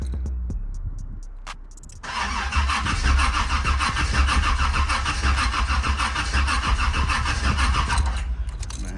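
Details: Car with a freshly swapped 700R4 transmission after a rear main seal job, on a jump box: starter turns slowly, about three beats a second, for six seconds and never fires; slow crank, no start; owner suspects the battery.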